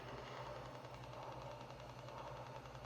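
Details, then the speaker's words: Lionel TMCC S1 steam locomotive (early 2000s), sound turned low: quiet motor hum with fast, fine rapid clicking when the IR tether LEDs between engine and tender are misaligned, losing the IR signal; alignment proved fairly forgiving. "when you misalign these guys you'll get this rapid clicking see if we can hear it"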